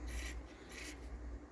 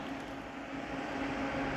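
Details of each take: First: Onkyo M5060R/P3060R amplifier under restoration: two short raspy crackle bursts as the volume knob turns in a quiet room; scratchy volume pot that needs cleaning and lubrication. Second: Onkyo M5060R/P3060R amplifier under restoration, with added automatic fan control and two computer-sized fans at the back that switch on with a blue glow about 8.5 minutes after a room-temperature start. There is a soft steady whoosh and an even hum, with no rubbing or clicking. The fans are operating normally.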